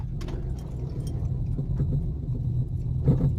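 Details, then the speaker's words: 2009 Vauxhall Corsa driving over bumps: low dull mechanical knocks over road rumble. Worn front anti-roll bar drop link (stabilizer link). "I've got a Vauxhall Corsa 2009 and I've got this nasty mechanical noise."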